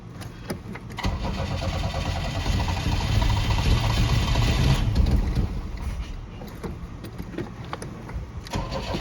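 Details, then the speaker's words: 1986 Pontiac Fiero, ignition tune-up, restarted after reassembly; the owner questions whether a distributor rotor that was tight in there was wrong or badly made. It cranks, catches, then sputters unevenly and never settles. Rough running after start, cause unconfirmed. "Let's see if that does anything. Yeah, I don't want it to sound like that."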